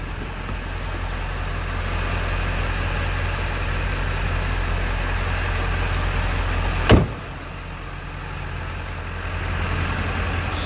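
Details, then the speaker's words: 1997 Ford F-350 Crew Cab diesel with 95,811 miles, started after the glow plugs cycled, heard at the exhaust: a low, steady idle with an even rumble and no misses, plus one door-like thump. It runs well with no smoke. "Diesel runs good, sounds good."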